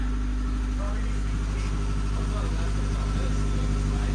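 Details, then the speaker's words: 1988 Saab 900 turbo after manual swap, restarted after fixing a master cylinder line rubbing the alternator: steady low idle with a faint quick lifter tick that went away last time after running; idling as it should, not yet at temperature. "you can hear the lifter tick which that went away after a while last time but it's running it's idling as should"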